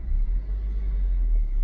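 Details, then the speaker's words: 2008 Suzuki Swift EZ, manual 1.5, with an intermittent two-cylinder misfire and power loss, after both coil packs were replaced: low, smooth, even idle rumble with no misses or stumbles, running like a perfect car. "running like a perfect car now anyway"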